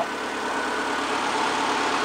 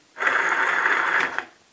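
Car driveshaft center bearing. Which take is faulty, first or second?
second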